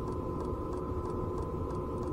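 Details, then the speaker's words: Domestic "Grasshopper" camper trailer heater heard from inside: even steady fan hum with faint whirr that almost completely masks the fuel pump ticking, which was remounted to damp it; normal heater fan hum. "Да стучит но внутри Звук вот этого насоса топливного маскируется полностью шумом вентилятора всего практически не слышно"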